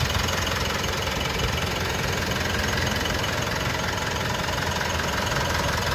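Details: Mitsubishi All New Pajero Sport with the 4N15 diesel at idle: steady, even, light regular clatter, smooth and dry, with no misses or knocks; the engine is normal.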